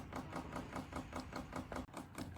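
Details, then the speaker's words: VEVOR 8kW 12V diesel air heater priming before start: steady light ticking about five per second from the dosing fuel pump pumping air bubbles out of the fuel line into the heat exchanger; normal. "You could actually take this cover off and see the air bubbles inside the fuel line, and they'll be pumping out, out, out, out as it goes down into the heat exchanger."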